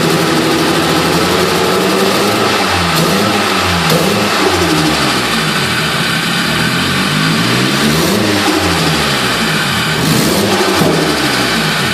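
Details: SR20DET engine in a PS13 not running correctly when accelerating; revs rise and fall with a rough, uneven pulse, a stumbling misfire; cause still unknown.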